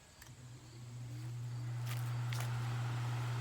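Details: Duracraft pedestal fan from December 1996, a parts fan, on high speed sitting on a stool: it spins up to a steady low hum holding pitch. The hum comes from the stool resonating, not the fan motor.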